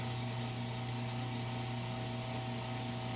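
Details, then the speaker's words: CM VO19 vacuum oven pump running with the air outlet switch closed, pumping the chamber down toward -29 before auto shut-off; steady even low hum, constant tone, no knocks or rattles, normal operation. "it'll just pump it all the way down to negative 29, and then the pump will shut itself off."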